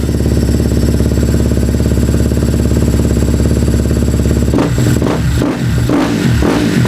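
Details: KTM single-cylinder motorcycle first start after a no-spark, shut-off-while-riding fault, fixed by replacing the pickup coil on the stator; steady even popping beat, blips and settles with some clatter: running properly.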